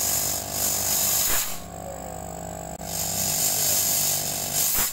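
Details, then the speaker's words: Used compressor, tested after fitting a capacitor, with no oil leaking: steady motor drone with a constant tone, briefly quieter midway, no knocking or rattling; it runs normally and is still fit to use. "masih di bisa dibilang kompresor ini normal"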